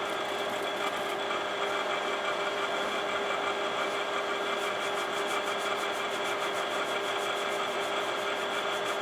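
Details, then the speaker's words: Imation LS-120 SuperDisk drive writing a SuperDisk: steady spin whirr with rapid light head-stepping ticks; head seeking sounds off, owner suspects track-alignment problem; writes come out corrupted. "But yeah, that head operation sounds different in that drive for sure."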